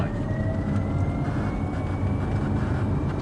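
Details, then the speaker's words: Porsche 928 EV conversion (originally 4.7, 300 hp) on its first road test: constant low rumble and road roar from the rear while cruising, with a faint rising whine; source not yet identified, plus a squeak from the binnacle. "And there's an awful lot of rumble and noise coming from the back. I don't like."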